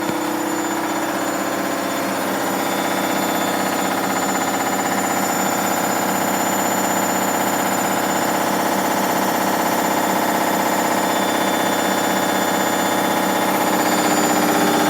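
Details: Hoover Dynamic Next DXA 48W3/1-80 8kg 1400rpm washing machine on spin: loud steady roar pulsing about four times a second; suspected failing spider, bearings, or overloading, not confirmed.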